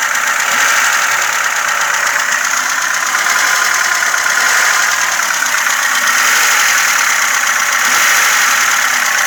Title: ваз 2106 стук клапанов